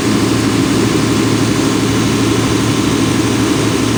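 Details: Volvo Penta 275 kVA canopy diesel genset on an off-load test, auto-started from standby after a 5-second relay delay, battery at 28 V: steady even drone with a constant low throb and no knocks or misses; normal off-load running.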